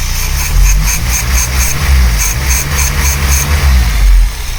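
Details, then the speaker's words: VW Polo with rebuilt Pierburg 2E carburettor (cleaned, new gaskets) and replacement starter motor, after earlier unstable idle and poor cold starting: quick crank, then fairly steady, even idle without stumbling or hunting; normal start and idle. "¿Vosotros cómo lo veis? Yo lo veo bastante bien comparado a cómo estaba antes."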